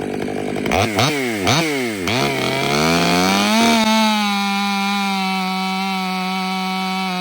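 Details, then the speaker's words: Stihl MS500i chainsaw with aftermarket Maxflow air filter replacing stock: three quick, clean rev blips then steady high run without bogging or hesitation; throttle feels snappier than stock filter, which seemed to burp for air; normal throttle response. "One thing I could tell already is the throttle response seems to be a little more snappy than the stock filter. The stock filter you can almost hear it, you know, burp for air, where this one's like, just like that."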